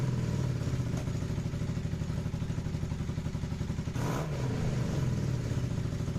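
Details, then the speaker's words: Motorcycle after repair work, where the idle was previously stuck high even with the idle screw turned fully out: a steady, even idle, and a quick blip drops straight back to a settled proper idle. "Alright, now listen to this. Oh, it actually, like, idles at a proper idle."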